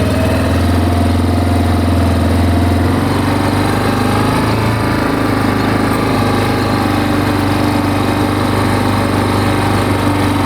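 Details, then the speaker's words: Big Bear 400 quad whose OEM muffler baffle broke loose, just started on choke: smooth, even low idle with soft, steady exhaust note, no knocks or rattles; quiet and healthy. "Come on. Oh my gosh, this thing's so quiet."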